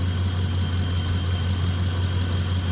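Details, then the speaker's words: Ford F-150, engine running well and warm at idle: thin high singing tone over the idle with constant pitch; alternator whine, possibly a bad diode, unconfirmed. "I don't know if you can hear the alternator it is singing a little bit now very possible it could have a bad diode or something"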